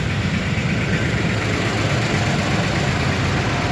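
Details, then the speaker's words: High-mileage (326) Toyota engine idling while low on oil: a steady, lumpy idle with an uneven clatter that quiets when revved; no check engine light; owner suspects chain guides, possibly oil-related, and says it is not rod knock. "these things are notorious cuz it's the chain guides let you guys hear it it definitely it's not a rod knock"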